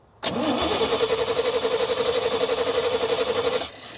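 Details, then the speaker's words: 1987 Chevy square body pickup, long unrun: steady cranking about four beats a second, never catches. Fuel pump relay heard clicking but no fuel reaching the top of the engine; crank no start, cause not confirmed. "Yeah, we're not getting any fuel up here. Nada. Zippo, nothing."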